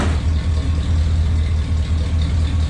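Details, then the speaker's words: Carbureted V8 truck, cold, with true dual exhausts: kicked down to low idle, an uneven, lumpy pulse through loud duals. Rough low idle. "I forgot to turn my camera off, but I kicked it down to low idle, and here's what she sounds like."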